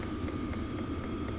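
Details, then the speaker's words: Vevor compact, toolbox-sized portable diesel heater, just fired up and now at full speed: steady roar of the big intake fan under an even high hum, with light regular ticks about four a second. Normal running at full output. "Air intake pushes air through. There's just a big fan in there. You can hear it running now."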